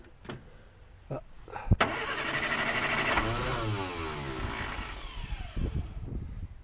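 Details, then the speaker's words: 1962 Morris Minor with its failed ignition coil reconnected, extra choke applied: a few clicks, then starter whirring that never catches. It cranks but won't start because the coil is dead. "a little bit more choke just in case no that don't want to know does it so that old coil is dead"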